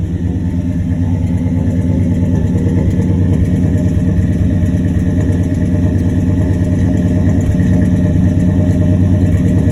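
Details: Engine at idle after the exhaust leak was fixed: steady, even low rumble with no puffing or ticking from the exhaust, sounding smooth and sealed.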